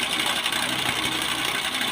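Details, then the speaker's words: Easy-bike (electric rickshaw) motor running with a dense, rapid metallic clatter and harsh high rattle, described as a broken khot-khot sound; the motor head is to be opened to inspect. "তো বন্ধুরা দেখেন এই মোটরটি কিরকম একটা ভাঙ্গা sound তো বন্ধুরা এরকম খোঁটো খটোর সাউন্ড কি জন্য আছে এই ভিডিওতে আমি আপনাদেরকে কাজ করে দেখাবো"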